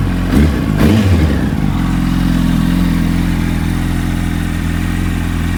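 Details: Warm 2005 Yamaha R1 four-cylinder, engine rebuilt a month earlier, on its third oil change, full titanium TI Force exhaust: a couple of sharp revs, then a steady, even idle with no knocking or ticking, sounding healthy.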